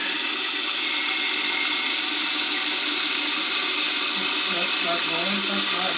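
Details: Toilet after fill valve replacement or freeing of a stuck fill valve; previously the tank would not fill. Steady, strong hiss of water flowing through the valve without sputter or stopping; normal tank refill.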